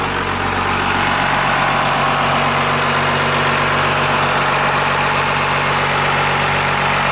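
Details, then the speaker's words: 12-valve Cummins diesel swapped into a Dodge B3500 Ram van, first start: steady, even idle clatter with smooth low rumble, no misses or knocks; sounds cherry, like a sewing machine, though not charging. "Thing sounds cherry. It sounds real happy. Well, sewing machine."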